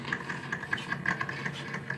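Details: Daewoo refrigerator, fan motor cleaned a year earlier, noisy again: uneven rattly buzz with high tone pulsing irregularly several times a second from the evaporator (cooling) fan motor; noisy evaporator fan motor.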